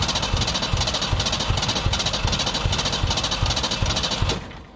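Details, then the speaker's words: 1991 Ford Ranger STX abandoned for years, after reinstalling the performance fuel filter system and priming: ragged uneven chuffing that never catches and dies; has fuel, air and spark, owner suspects a timing or computer problem. "it is right there it wants to so bad i don't want to accept the feed on this but i'm really starting to think it's probably a computer problem we've got fuel we've got air we've got spark it's either a timed issue or something else in the computer"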